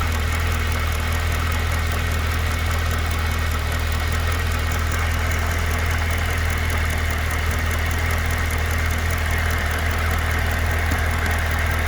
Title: 2012 CTS-V Ticking/Knocking Sound